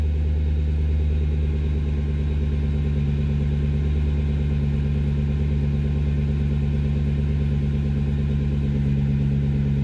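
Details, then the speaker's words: 2004 Jaguar XKR V8 after sitting a few months: previously rough idle running on 6 or 7 of 8 cylinders; after refitting a loose intake pipe onto the throttle body and tightening the clamp, smooth, steady, deep, even idle. "That sounds a lot better."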